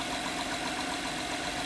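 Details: 2011 Honda Pilot at idle, customer complaint of strange engine noise and stinky smell: fast light even ticking knock seemingly deep in the engine; engine looks normal, knock source hard to find, cause unknown.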